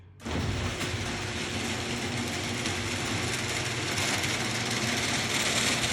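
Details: Genie garage door opener after carriage/latch replacement, which fixed earlier grinding and failure to open: motor settles into a steady, even whirr with light chain rattle as the door goes back, no grinding or slipping. Normal operation.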